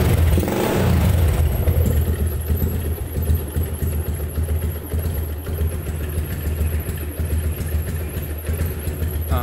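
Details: Yamaha Jupiter MX carbureted single-cylinder, after block/bore rebuild for rough noisy smoky engine with weak compression, tested a day: catches after brief crank, steady even putter, no knocks; healthy normal idle.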